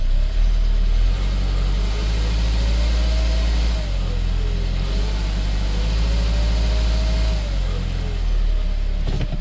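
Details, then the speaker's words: 2003 Saab 9-5 2.0t with high oil consumption, oil just topped up, brake-boosting: low 'woo' hum from the turbo rising and falling with revs over a deep drone, indicating a failing turbocharger. "slight humming. A slight humming from the turbo. That's your turbo."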